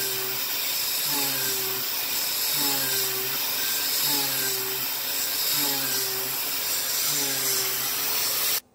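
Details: YG1 3/8-inch three-flute uncoated endmill on an adaptive clearing toolpath at about 0.060-inch width of cut: a steady high spindle whine with even cutting chatter and no pitch drop. A clean, unlaboured cut.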